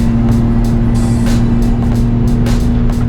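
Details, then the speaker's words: Kei car driving up a mountain after muffler weld/sealant patch failed: loud harsh blaring exhaust drone with steady low note; exhaust leak at patched muffler, owner plans to cut exhaust off and replace pipe. "so it's [ __ ] loud as hell i guess that is what i'm doing tomorrow i'm going to cut this [ __ ] exhaust off"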